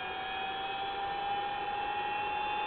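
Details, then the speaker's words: Collins airborne HF communications transmitter on 28 V and 140 V, with no high voltage: steady motor whine with a gritty gear hum when the frequency is changed; the tuning cogs are noisy, alongside noisy blowers. "As you can see, the if we change the frequency, you can hear those cogs going."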